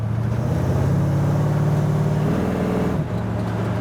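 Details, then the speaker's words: Roadster with Ford 8-inch rear end, driving after a gear swap from 2.70 to 3.00. It previously howled above about 35 mph and clunked on throttle off/on. Now a steady low road drone at cruise, with no howl or clunk; rear end quiet. "I'm not hearing anything. Not only did I have a howl at about like 35 miles an hour and up, when I'd let off the gas and then get back on it, you can hear like a little clunk."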